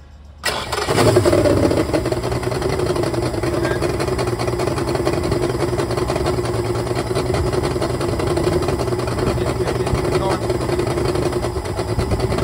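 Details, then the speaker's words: Misfire on a 2004 Yamaha two-stroke fuel-injected outboard, about 400 hours: cranks, catches and settles to a lumpy, uneven idle with several cylinders dead; four ignition coils were found not firing when tested at high rpm, and too much oil had been premixed in the gasoline. "and also we found out the four coils were not firing we tested in a high rpm and four of them were not working"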